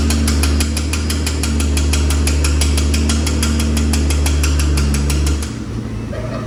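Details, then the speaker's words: High-mileage Infiniti G35 after a twin-turbo install, with a base map tune, 91-octane fuel and a return-style fuel system with a pressure regulator: first startup, steady cranking pulses for five seconds, then it fires and settles into an even, healthy idle; normal start. "overall though, it's cool. It sounds healthy."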